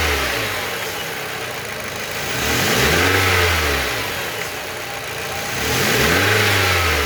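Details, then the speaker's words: 2012 Renault Fluence engine revved twice to capture a strange noise; a pitch rising and falling with a raspy edge over the engine; abnormal engine noise when revving, cause unclear. "Vou dar uma acelerada lá, galera, pra ver se eu consigo pegar melhor esse barulho."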